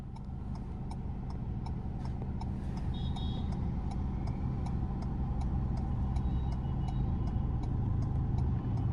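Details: Ford EcoSport in first gear making a slow right U-turn with the right signal on. Crisp, regular ticks about three to four per second over low road and engine hum; turn indicator flashing normally.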